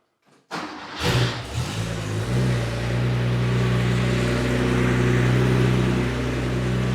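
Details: Porsche 911 with 915 transmission, original OEM starter before swap to high-torque IMI starter, clamp meter on starter cable: brisk cranking about a second, flat-six catches cleanly into smooth even idle; healthy starter.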